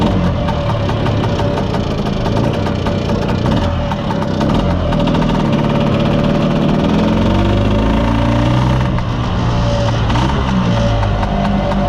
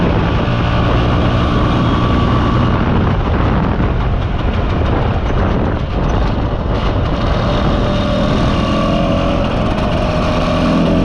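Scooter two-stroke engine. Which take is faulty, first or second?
first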